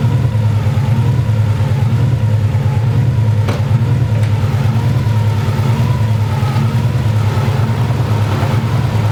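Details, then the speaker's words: 2000 Subaru Impreza 2.5 swapped with a JDM EJ205, at cold start-up: low, uneven idle loping about once a second with a wavering tone above; rough idle every time it starts, cause unconfirmed. "you guys here the Subaru you guys cure this thing every time I want to start her up that's what she's doing"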